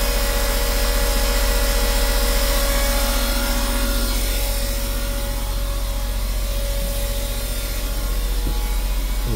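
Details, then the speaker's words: Westerbeke marine generator set running after capacitor replacement for low AC voltage, still pumping water well: steady, even drone with constant hum, no misses or surging; running smoothly. "Let's make sure she's still pumping water like she was before with low voltage. pumping good. It sounds good."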